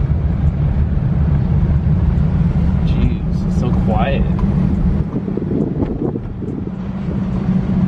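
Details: C6 Corvette with a newly swapped LS2 V8 on a first test drive after the swap, with the exhaust refitted but stock (no aftermarket): low, smooth drone, even and quiet under road and wind noise; healthy normal running.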